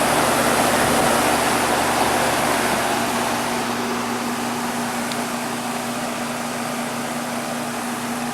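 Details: Goodman outdoor heat pump unit in heat mode on a 53°F day, thermostat set to 70: steady fan rush over a low, even compressor hum that gradually settles, no rattles or squeals; normal operation.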